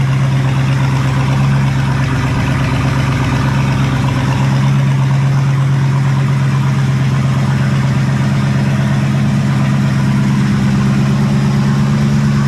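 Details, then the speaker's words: 1974 Pontiac Ventura engine just started after a hard start, with new plugs, fresh fuel and verified firing order and distributor timing: low, lumpy idle with an uneven beat about three per second, hunting slightly; rough idle, owner suspects the carburetor needs tuning and the timing needs setting. "But yeah, it runs. It don't sound real great, but I'm sure it needs fine tuning on the carburetor, and the timing needs set."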